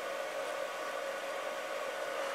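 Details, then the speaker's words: iCharger cooling fan running while discharging a new LiPo pack at 4.7 A during a cycle: even airy whoosh with faint steady hum, no ticking or rattle under discharge load; normal cooling fan. "he Lipo in discharge mode, and you'll hear the fan spin up to cool the charger down."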